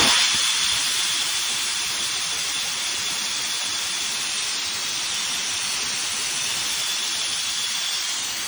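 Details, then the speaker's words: 1973 American LaFrance Pioneer fire engine, Detroit Diesel 6-71, brake pedal held down: continuous high-pitched air hiss with no engine rhythm beneath, from leaking front air brake quick release valve meant to dump air on pedal release; cheap replacement part. "so that is the quick release valve in the front air brake system that is leaking um that's supposed to discharge all the air when you let off of the pedal"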